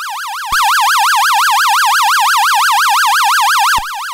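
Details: Early-1970s 6A/12860 stall warning tone generator from an Avro Shackleton, working on the bench after reverse engineering: a clean warbling tone around 1 kHz, swinging about seven times a second. Normal stall warning tone.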